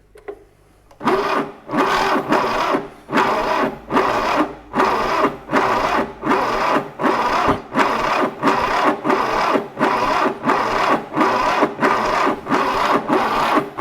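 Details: 1968 Fiat 500 twin-cylinder engine, sat since the early 80s, cranking with no choke and the throttle open during a revival attempt: slow, even churning beats about 80 a minute, but it never fires or catches; cranking, no start.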